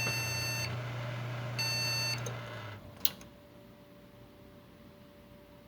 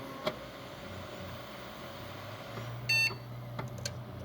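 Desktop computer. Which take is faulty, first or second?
first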